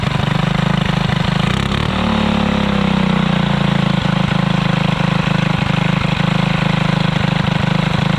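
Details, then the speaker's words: Alcohol-fuelled 212 go-kart engine, new torque converter fitted, after 3 months stored without draining fuel: small single fires evenly, pitch climbs smoothly when revved and holds a clean steady beat; normal running. "I know that one of the big things was in the end of the go-kart episode last you really didn't get to hear it run too well so we're go ahead and crank it up"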